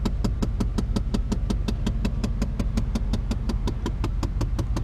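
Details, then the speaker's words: Engine restarted after a Seafoam treatment, still idling very low: steady fast clicking near three per second over a low rumble, every start and shutoff. Owner suspects an HVAC air door actuator; unconfirmed. "that clicking noise that's something i gotta fix too with something with the air one of the air doors or something oh it's kind of annoying it does that every time i start it up and cut it off"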